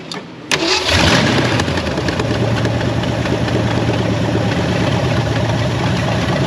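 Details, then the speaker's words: 1967 Ford Mustang fastback rescued from West Virginia: starter whirs, engine catches into a low, uneven, unsteady idle; runs rough with a suspected miss attributed to heavy corrosion. "what do you think sounds like a bit of a Miss uh yeah that doesn't surprise me because everything's pretty Cor eroded"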